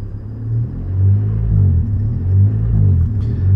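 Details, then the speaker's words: Honda CRX DX with DPFI: deep engine drone swells and fades about once a second at light throttle, ECU not recognizing the small throttle input and acting as if there's a huge vacuum leak; intermittent, cause suspected. "see, it doesn't recognize that I'm giving it throttle, and so it thinks there's just a huge vacuum leak."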